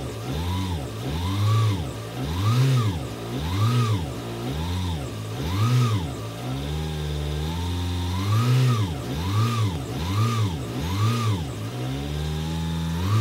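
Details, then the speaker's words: 2002 Peugeot 307 2.0 HDi 110 hp diesel just after an oil and filter service, idling while oil circulates, gently blipped about once a second, rising and settling cleanly with no knocks or misses; normal idle. "Donc je laisse un peu le moteur tourner à vide le temps que l'huile fasse le tour du circuit, en accélérant légèrement un petit peu."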